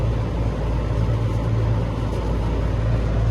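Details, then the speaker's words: 25-ton Lennox unit not cooling, 100 degrees out; blower motor spun by hand with belt off to check bearings: steady even hum, no grinding or clicking, bearings sound normal; motor bracket found cracked. "give the motor a good Spin and listen for any type of of grinding that'll be a good indication that your bearings are are bad or going bad so this motor sounds good not hearing any type of grinding or clicking spins good"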